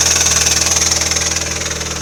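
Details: Intermittent fast, even ticking knock over steady idle on a MINI Cooper R56 (non S), recurring every 2–3 weeks; usually settles after a few minutes, sometimes faintly heard when driving, otherwise engine alternates slightly rough to normal. Source unconfirmed.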